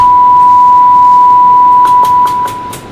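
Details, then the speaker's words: Cobra 148 GTL CB radio on the bench for distorted audio: clean test tone over soft hiss at -110 dBm signal, still audible. Receiver coils are fine and need no adjustment; the low S-meter reading may be a meter offset. "Minus 110. I still hear it, which means I don't need to adjust anything on the coils because they're perfectly fine."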